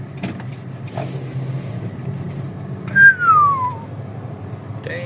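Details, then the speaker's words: 2020 Nissan Almera automatic after rebuilding the transmission with a new bearing and rebuild kit: road test with only a soft, steady low road hum, no drone or growl rising with speed and no rough sound when coasting; the earlier droning noise is gone. "So ayan tine-testing na yung Nissan Almera. Wala na yung ingay. Wala na ugong."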